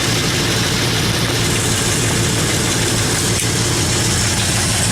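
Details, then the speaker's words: Chevrolet El Camino at idle: raspy, puffing hiss over the exhaust beat from an exhaust manifold leak at the rear flange, where the back two bolts were missing. "The funny thing about this is that there's an exhaust leak on this manifold over here."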